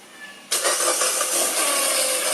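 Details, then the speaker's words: Peugeot 207 1.4 petrol engine (2008), cold start: catches into a loud, dry metallic clatter over the idle. Stretched timing chain; on this engine the chain guide shattered and pieces fell into the oil pump. "Donc, voici le bruit d'une chaîne de distribution qui est détendue, donc à froid. Écoute le bruit. C'est sur le même moteur, hein."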